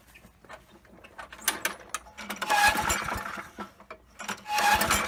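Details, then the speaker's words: Poulan Pro mower, 190cc Briggs & Stratton, after sitting: repeated pull-start cranking with the primer working well, but no firing, sputter or smoke. Spark plug checked next, gapped at 30. "okay so it sounds like it's priming really good but it's not even attempting to fire no sputter no smoke coming out"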